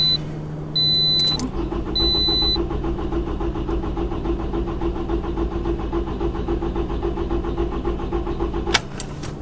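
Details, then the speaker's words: 2007 Toyota RAV4, about 266,000 miles: engine cranks steadily for about seven seconds at a quick even rhythm but never fires; crank no start, worse as temperatures rise, coolant temperature reading appears to be the clue. "the big problem is it cranks and cranks and cranks and cranks and cranks and cranks and cranks and cranks but it will not start and the problem is getting worse as the temperature outside gets warmer"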